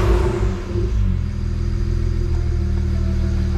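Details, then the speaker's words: BMW N54 after installing and coding injectors (Chinese index 12 vs OEM). A misfire persisted after coding, possibly residual fuel; after clearing errors a low, deep rumble settles from a blip into a smooth, even idle. Normal idle. "clear the errors and see if they come back all right yeah it looks like it's idling perfectly fine now"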